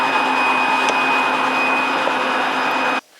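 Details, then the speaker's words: Ford 5.4 DOHC (Navigator) with a junkyard aftermarket fuel pump and a repaired wire: a steady electric buzz for about three seconds, the normal fuel pump prime, then it cuts off. "This little wire here, I fixed. So that's, you hear that fuel pump buzzing."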